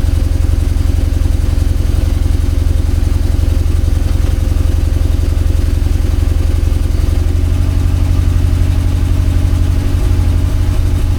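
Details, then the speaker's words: Mazda RX-8 Renesis rotary after Haltech Nexus R3 install with universal loom, balance and water pump belts just tightened, smells very lean: loud choppy rotary idle pulsing at an even beat, rising slightly near the end, no clatter or squeal; normal idle. "It's [ __ ] looking crazy in the back. Yeah, it sound like a bridge. God, that sound is so [ __ ] awesome."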